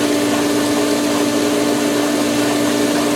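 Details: Pool Polaris booster pump starting with filtration pump, camera leaning on the pipe, line filling through solar: steady strained hum with hard rattling shake; pump air-locked until it catches prime.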